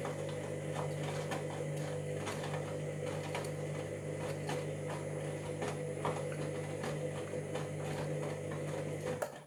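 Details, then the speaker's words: Washing machine drum rotating: steady motor hum with a rough scraping rasp and irregular clicks. Owner wonders if a ring inside is the cause; not confirmed. "that there yeah you'll hear like a noticeable grinding noise in a minute"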